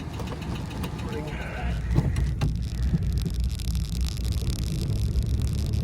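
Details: 1985 Chrysler Fifth Avenue, 95,000 miles, first start in 7 years on old gas: low, uneven idle that lopes and stumbles, barely smoking; rough idle, cause unconfirmed.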